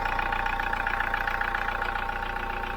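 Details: Hyundai iLoad diesel van, owned about 3 years, 39,000 km, short city trips, cold engine, before Liqui Moly intake decarb; quick even tapping clatter over low drone, about 90 dB front and back, noisier than new, carbon buildup suspected, unconfirmed.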